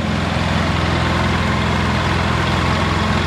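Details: Polaris Sportsman 700 ATV warming up after a radiator replacement, with the cap off and temperatures of 70–163°F as the thermostat opens, not overheating: an even steady low thrum with no knocks, misses or hunting.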